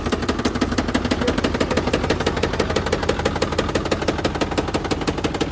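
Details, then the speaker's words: 2024 Ford Super Duty Power Stroke diesel at 10,000 miles, before first oil change, idling: hard regular knock about three times a second; rod knock suspected, not confirmed. "Engine failure on brand new Superduty. Hm. Sounds expensive. Oh, yeah. That ain't supposed to sound like that. 10,000 miles on it, bro."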